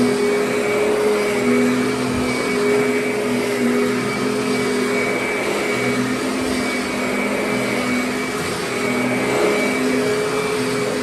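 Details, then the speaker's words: Kirby Sentria vacuum cleaner rescued from the curb, some parts still broken: a steady high whir with a constant tone and no grinding or rattle. The motor runs smooth and healthy. "So, I mean, it sounds good, runs good, and performs as a vacuum just fine."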